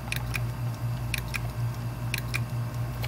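A hard drive hums while sharp clicks come in pairs about once a second, from misaligned platters.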